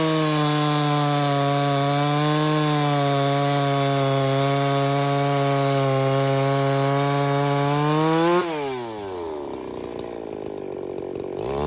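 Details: Ported Echo 4910 chainsaw, freshly tuned, cutting: screams steady near full revs under cut, then drops off burbling a touch; maybe a shade rich, topping out about 15.1 thousand rpm; suspected slightly rich under load.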